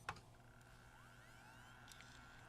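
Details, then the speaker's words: Magnavox MDR865H DVD/HDD recorder that won't play from the hard disk: faint rising whine as the drive spins up to a steady hum, but no head-seek clicks follow; suspected bad hard drive. "you heard the drive spin up. I don't really hear the head seeking. That's the problem."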